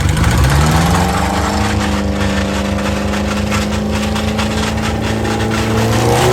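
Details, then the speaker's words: Subaru 2.5RS abandoned about 20 years, first test drive after clutch, clutch fork and pilot bearing work: a rough droning scrape follows road speed, and it would not go into 2nd or 3rd. A loose driveshaft is rubbing on the rear differential. "Dude, I don't know, but something really wrong is going on here. So I think I'm gonna turn it off, and I wasn't able to go into 2nd or 3rd gear, and it sounds horrible."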